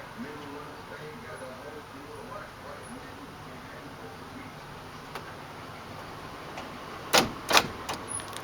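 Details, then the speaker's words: Remote keyless entry being programmed on a 1997 Chevy truck with a new OEM remote, OBD2 pins 4 and 8 jumped and both buttons held: a quick cluster of sharp door-lock clunks as the locks cycle, showing the remote is programmed. "And that means it's programmed ready."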